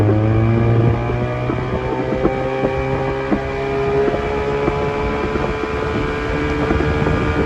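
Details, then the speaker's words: Old Evinrude 20hp two-stroke tiller outboard on an Askeladden 430 boat, under load after a prop swap (this prop also slips): steady, even drone at cruise with wind and water rush, running good at almost 20 knots. "This thing is running good. Got a decent amount of power to it, almost 20 knots with this old plastic Askeladden."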